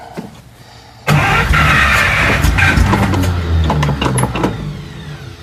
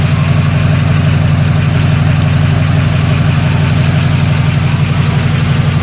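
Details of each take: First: 1941 Buick Special on first start, steady uneven starter cranking for several seconds without catching; cranks but no start because the tank is almost empty of years-old gas. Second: 1941 Buick Special first start after sitting with years-old fuel and a new water pump; even, steady low idle with a regular smooth beat, no misses or knocks, though valve train was briefly rattly at first; healthy warm idle.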